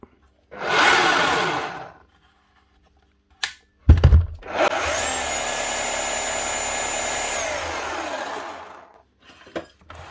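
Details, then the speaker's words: Makita HR5211C rotary hammer from 2012 after repair with a replaced broken conrod and new O-rings: the motor spins up to a steady high whine, holds evenly and winds down cleanly with no rattle or grinding. Normal running. "Now to see what she's hammering like. Lovely job. It's nice to see a big old yoke like that up and running again."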